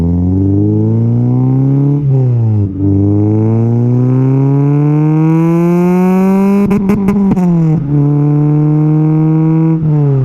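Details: Honda K20A2, first drive after startup, taken to 8,000 rpm in first through third: clean crisp pitch climb through each gear with quick drops at shifts; possible O2 sensor or relay fault noted; normal revving.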